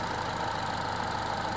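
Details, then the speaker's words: Peugeot 308 GTi (Prince engine) idling after the water pump pulley replacement. Steady, buttery-smooth idle with a faint constant hum and no knocks, ticks or rattles; no engine light and no oil leak. A normal idle. "Idle. Yeah, idle's nice and smooth. Hell yeah. Oh, it's buttery smooth."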